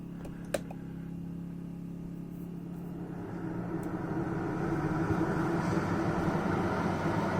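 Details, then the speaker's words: Pulsar PG2200BIS 2200W dual-fuel generator running Coleman 13.5k BTU RV air conditioner without hard-start capacitor: steady hum rises and thickens after a click as compressor kicks in; generator carries the load smoothly. "you can hear the compressor start to run and the air is already called much colder than the fan"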